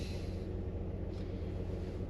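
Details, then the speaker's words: 2012 Chevy Impala, 148,000 miles, overdue oil change, idling: steady low rumble with uneven beat; misfire, codes P0300/P0303, traced to cylinder 3 with suspected bad fuel injector after coil and plug swaps; exhaust also rattling. "But apparently it's a Chevy, so let's run it. Apparently it's got a misfire. Can you guys hear that?"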